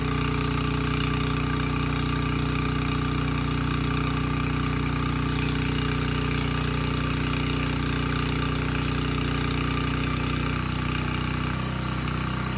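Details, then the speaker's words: Abandoned Powermate generator on its carburetor, started first pull: steady, even thrum at constant speed with no knocks or misfires, slight pitch change near the end; smoke cleared immediately, about 62 Hz, voltage too high; normal running. "okay not too bad it started first pull and the carburetor is doing a good job running this engine so i'm not concerned about that"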